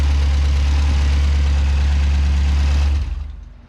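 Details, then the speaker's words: V8-swapped Corvair, LS3 injectors, Holley EFI in batch fire with cam sensor off, first start: deep lumpy idle with steady stumble about four per second, then shuts off; cylinder one not firing, running on seven. "sounds pretty good for seven cylinders though"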